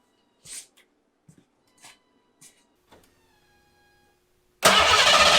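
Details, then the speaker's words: Foxbody 5.0 V8 swap, first start after the fault was found and the inertia switch was reset. A few clicks, then the engine catches at once and settles into a full, even run. Start is normal; O2 sensors and timing still need work. "sweet probably want some more two sensors and a couple other little things but put it again i'll give it some throttle all right sweet some o2 some timing minor details yeah success stuff sweet"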